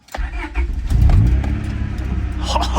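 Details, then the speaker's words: Wrecked, previously non-running 25-year-old Honda started after battery reconnected; short crank then catches and settles into an even idle, no misses or knocks. Still needs driver's wheel bearing, timing belt and water pump (water pump leaking). "Oh, yeah, she's alive. Nice. It's a mess, but it works."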